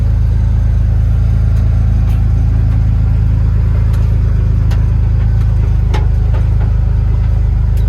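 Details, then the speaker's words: 1951 Ford F1 body on 2001 Ford Ranger V6 chassis: steady even low rumble, no knocks, misses or surging; smooth healthy normal idle. "Oh man, sounds good."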